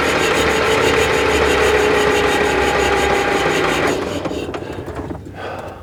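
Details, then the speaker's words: 1959 or 1960 Cat D7D bulldozer sitting over 10 years, first crank attempt with compression release in start position and levers in neutral: steady, even chuffing about 3.5 beats a second for four seconds; engine turns over freely, not seized. "all right so that sounded pretty good right I'm not going to lay on the starter for a while because I don't want to heat it up"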